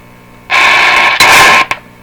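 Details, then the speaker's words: Northern Electric 5300 five-tube radio, after a long warm-up: hissy crackling static bursts for about a second, drops out, returns briefly and cuts off over a low hum. Intermittent connection; a cold solder joint or capacitor connection is suspected, not confirmed. "okay this Nike well this is sort of suggest a cold solder joint in there somewhere is it my capacitor connection"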